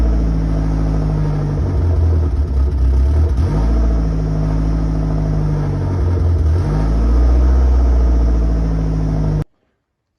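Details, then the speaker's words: Saab 900 Turbo at idle before fix: uneven idle, low rumble sagging and recovering; vacuum lines crossed over, fixed by rerouting them per vacuum diagram. "Um, and I actually have a decent idea of what's going on here because I'm pretty sure the vacuum lines are crossed over."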